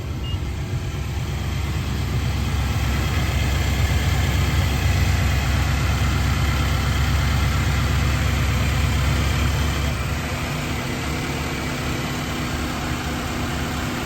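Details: 2019 Nissan Titan V8 at idle just after start-up, no dash warning lights: even burble holding steady throughout with no ticking, misfire or whine; a healthy, smooth idle.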